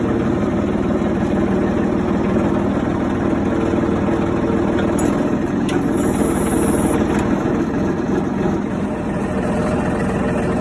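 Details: John Deere 4300 backhoe diesel after freeing a locked-up parking brake (new spring) that had robbed power: steady, even chug with no knocks or misses at one speed; running healthy.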